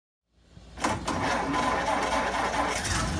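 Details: 1928 Ford Model A Roadster pickup, same setup as a 1930 Model A: engine catches after a brief crank and settles into a slow, fairly even idle with no knocking; normal start and idle.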